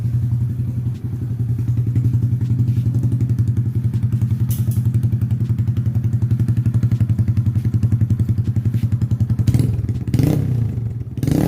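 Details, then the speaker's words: Honda Grom engine idling after fuel pump priming: steady, even single-cylinder putter with a low regular beat and no knocks or rattles, a really nice engine, until shut off. "let's hear the engine right boy it's a really nice engine"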